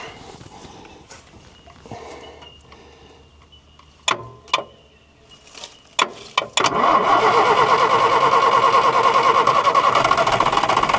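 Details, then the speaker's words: Abandoned 1973 Volvo diesel truck, 24-volt start, diesel system just bled: catches after a few cranks, uneven stumbling idle with dropped beats; misfire, suspected air still in the fuel lines, expected to clear. "She's got a bit of a misfire there at the moment, but that's probably just a bit of air in the lines."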